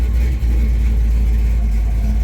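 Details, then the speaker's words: Big-block Chevy Chevelle with a 700R4 transmission and an owner-built engine, on its first drive after 4 years off the road. Deep, even V8 rumble while driving with no knocks or ticks; plenty of oil pressure, fans on; healthy engine. "The motor, it sounds healthy and it sounds happy."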